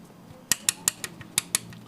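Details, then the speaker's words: Engine with a custom (modified) camshaft, heard after valve clearance adjustment with the adjuster nuts tightened: light, crisp, evenly spaced ticks about six per second with no heavy clatter, which means the clearance is set right. Before adjustment the sound was very rough. "Nah, untuk setelannya seperti ini, dan ini suara setelah kita setel ya, teman-teman."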